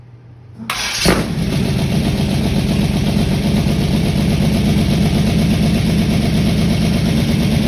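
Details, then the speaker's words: Ford Mustang with new cam, valves had been badly out of adjustment, timing reset; push rod length or valve adjustment still unresolved: fires and catches straight away, settles into steady fairly even idle with no misses or clatter; normal running. "whoo finally well that sounds a heck of a lot better well not as exciting it actually sounded decent for a minute"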